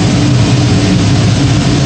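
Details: Gas power burner on one of two ganged steam boilers firing after ignition and ramp-up. New 24" Field barometric regulator settles draft at -0.03 in. water column. Steady, even low roar, no surging, pulsing or rumble instability; firing smoothly.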